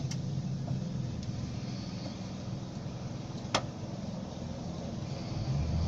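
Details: 2004 Ford Territory AWD SUV driving: low road rumble with occasional sharp isolated knock from front left suspension corner.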